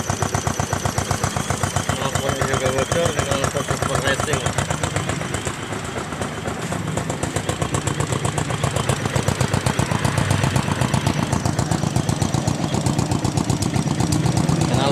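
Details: Yamaha Jupiter MX after repair of a loud ticking that persisted despite replaced rocker arms: steady, even idle about four pulses a second, throaty exhaust, no top-end tick; valve train sounds healthy.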